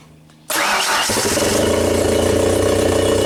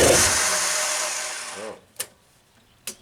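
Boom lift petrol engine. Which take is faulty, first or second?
second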